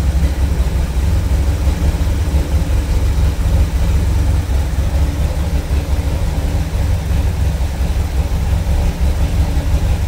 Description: Cold starting after fixing vacuum leaks